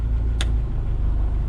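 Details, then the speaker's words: Jeep TJ idling with AC compressor engaged through a newly added compressor toggle switch; steady, even low idle rumble with one sharp click early on, likely the compressor clutch pulling in, and the engine holds smooth. "I have air conditioning. So in the summer, that button will stay on all the time."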